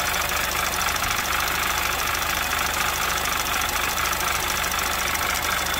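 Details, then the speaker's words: 2011 Audi TT Quattro 2.0T TFSI, first start after engine rebuild, oil pressure 40-45 PSI: light uneven top-end ticking over idle that comes and goes; lifters suspected still filling, not confirmed. "Lifters are a little noisy. Might just take a while for them to fill up and kind of just figure out what the hell they want to do. They keep kind of going back and forth, which is odd."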